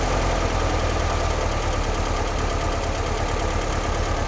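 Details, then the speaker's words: 1958 Porsche 356A T2 with Zenith carburetors during a tune-up, idle lowered from about 1,400 to about 1,000 rpm while synchronizing with a flow meter. Steady, even idle with no misses or knocks; it sounds normal. "okay that sounds a little more normal let's see where believe it or not that's one thousand"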